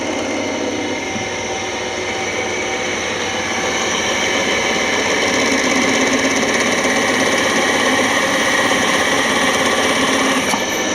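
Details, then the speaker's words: Old drill press after its motor was lowered and refitted; the motor fan still needs repair. Steady mid-pitched hum with an even light rattle and no grinding or speed wobble; it runs smoothly and drills nicely. "but it's basically is done and it drills nicely too"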